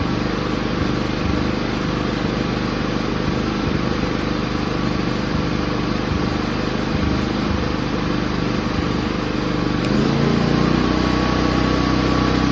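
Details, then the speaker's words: Inverter generator after cleaning and reinstalling carburetor: even, steady engine note at constant speed, no rising and falling; runs smoothly like new, surging fixed. "Generator is running smooth, like new. No surging whatsoever."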